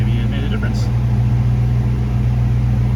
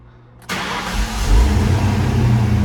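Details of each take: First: 1995 Ford Mustang GT: no power, popping after MAP sensor cleaning and fuel filter change. Loud steady low fuel-pump buzz under the engine that cuts off abruptly; owner suspects the fuel pump is failing. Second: 1995 Ford Mustang GT, pump primed first: short quiet spell, then cranks, catches at once and settles into an even, steady idle with no leaks; normal healthy start.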